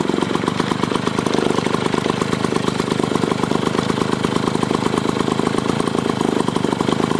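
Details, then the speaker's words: Clinton two-stroke lawn mower engine removed from the mower, run on the bench after carburettor work: fast, even two-stroke rattle at steady speed with no surging or misses; normal running. "this motor is actually really nice it's a two stroke runs really good went through the carburetor"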